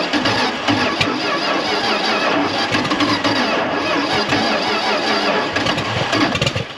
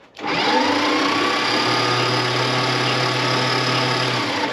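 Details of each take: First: 1976 Dodge D600 dump truck, small-block V8 (maybe 318), off the road since 2000, timing confirmed at TDC: catches when choked, then runs ragged and fades as vacuum builds and it sucks too much fuel; flooding carburetor, carb to be pulled. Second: 1976 Dodge D600 truck, small-block V8 (possibly 318), sitting since 2000, after freeing the starter solenoid: steady even whirring as the engine spins over freely without firing; ignition box appears to have leaked.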